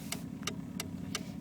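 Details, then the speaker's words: 1986 BMW 325e driving: sharp, evenly spaced clicks about three a second from the rear, heard again when turning left and getting worse; speedometer also quit, owner unsure whether it is the diff sensor or cluster. "Yeah. So, there's uh this clicking sound coming from the back and I'm not quite sure what it is."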